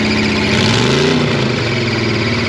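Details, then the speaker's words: Monster truck stuck in a pond: engine revs and uneven tones with a rough grind when put in gear; drivetrain damage, crew unsure if transmission or drop box. "That sounded really bad. That sounds really nasty. Is that the transmission and the drop box?"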